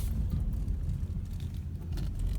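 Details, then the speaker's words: Car just after refuelling; low, lumpy idle sagging and surging nearly to stall for 10–15 seconds after hard starting, then fine for the tank; faulty stuck-open vapor canister purge valve, fixed by replacing it. "she's idling real bad wanting to die again but after about 10 15 seconds it smell nose out and then for the rest of the tank of gas she's good to go"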